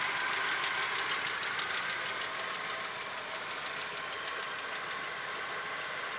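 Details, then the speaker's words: Audi 1.8, 90 hp, idling after cylinder-head repair: light, uneven ticking about three per second, fading in and out, growing louder as it warms. It is quiet cold. Swapped lifters changed nothing. Owner suspects the 15W-40 Lukoil oil instead of the earlier semi-synthetic, or the hydraulic lifters; unconfirmed. "мотор прогревается и начинает стучать громче периодичность тоже меняется"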